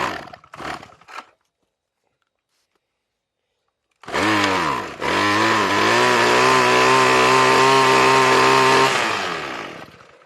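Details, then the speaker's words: RedMax string trimmer that sat for years with no fuel and a bad carburetor, test-run on mixed gas sprayed into the intake: after a pause it bursts into a high-revving buzz, holds a few seconds, then fades out once the sprayed fuel is used up. "It's basically running it on straight gas. So get you some mixed gas in a spray bottle and spray it in the intake."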